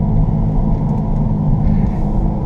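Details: 2015 Jeep Grand Cherokee WK2 while driving, new tires fitted: steady deep growl under the road noise that changes loudness when turning shifts weight off the left front; suspected bad front wheel bearing, not confirmed.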